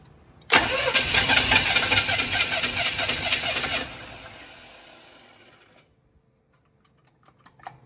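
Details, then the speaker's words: $100 Chevy 350 V8 with a newly fitted intake manifold, for a 1972 Chevy 4x4 truck, unstarted for months: even cranking churn at two to three beats a second that never fires and winds down. No fuel is heard, and the ignition timing is suspected off. "I don't hear any gas in there. I'm like not getting any fuel. I think our timing might be off."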